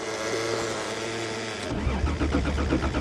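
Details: Toyota on a snowy December cold start: the fuel pump is on, but the starter spins the engine in an even churn of about four pulses a second and it never fires. Crank, no start; a battery connection issue is suspected, not confirmed.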